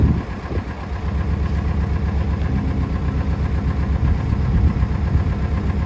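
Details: International Scout 80 (1963–65), sat over 10 years, revived and driven; not all cylinders seem to fire: deep, lumpy rumble pulsing about twice a second at steady idle; owner suspects something funky in the exhaust, possibly the motor, unconfirmed; temperature and oil pressure came up.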